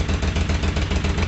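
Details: Moto Guzzi V50 twin, winter project, starting from cold: even, steady low thump at idle with no misses, knocks or hunting; it settles readily and sounds healthy.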